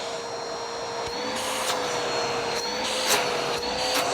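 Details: Bissell Powerforce Helix Turbo Rewind 1797 upright vacuum during refurb, run with a part from another Bissell clicked in: steady, even motor roar with a constant high whine, no surging or rattles; strong suction pulling the machine, motor healthy.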